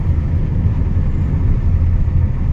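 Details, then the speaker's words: Hyundai Creta diesel on road trial after crank and diesel pump timing job, 4th gear at 80 km/h; deep even rumble, no knocks or whine, pickup fine; minor main oil seal leak noted. "Okay आहे गाडी pickup पण okay आहे बघा चौथ्यावर आहे सध्या गाडी 80 वर"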